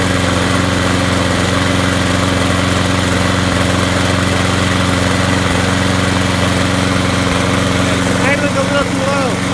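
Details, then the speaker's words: Craftsman push mower (model 917.388950) with Briggs & Stratton 6.5 HP engine that ran rough, after replacing the broken flywheel key and rebuilding the carburetor. Steady, even drone with no hunting or stumbling; runs much better; normal running. "so that runs a lot better now"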